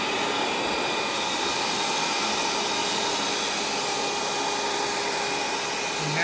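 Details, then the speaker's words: Rainbow E2 single-speed E-series canister vacuum, believed early 2000s: the motor holds a constant, high, airy whine at steady pitch with no rumble or rattle, distinct from the later two-speed brushless motor; running normally. "one thing to note the motor on these single speed e series have a very distinct sound compared to the two speed brushless motor designed in later years"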